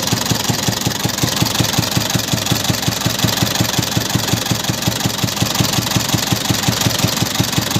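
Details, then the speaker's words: Isuzu 4BC2 diesel with weak pulling and misfiring, run before a planned tune-up. Heavy idle with a hard, clattering beat near three per second under a loud, rough roar. Running rough; the mechanic then finds a leak rather than a tune-up need. "Okay mga idol, paandarin natin. Sama yung andar mga idol. Hindi tune up to mga idol."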